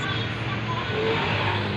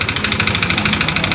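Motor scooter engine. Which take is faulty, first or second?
second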